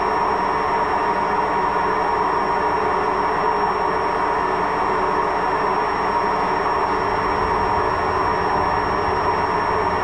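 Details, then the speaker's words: Washing machine: constant loud rumbling roar with a faint high whistle and no change in tone; worn drum bearing. "Also eine Waschmaschine mit Lagerschaden. So hört die sich an, eine Waschmaschine mit Lagerschaden."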